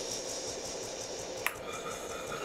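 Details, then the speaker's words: DeLonghi PrimaDonna Elite Experience after repair, hot chocolate jug running: quiet, even motor whirr with a soft regular pulse and a single click; chocolate stirrer mixing normally. "Well, it should be a liquid but I'm impressed Listen, it works"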